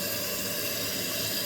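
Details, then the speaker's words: Toilet after fitting a new fill valve from an all-in-one repair kit, with an even, steady hiss of water refilling the tank normally; the water level is then adjusted to match the previous level. "and uh the tank is filling up and I'm going to see what level it is and I have to match it to how it was before"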